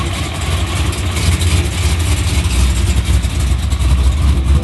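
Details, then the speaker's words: Supercharged V8 Dodge Charger after a tune that cured the surging. After the start-up surge calms, it settles into a deep, even, healthy idle at 950–1000 RPM. "You essentially just wait for the surge to calm down a little bit, and then it starts idling perfect at 950, 1000 RPM."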